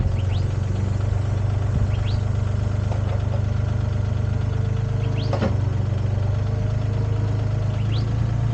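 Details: Used Komatsu PC10-3 mini excavator diesel at low idle, set just high enough to keep the battery charging: a steady, even low thrum with no knocks or misses; normal idle.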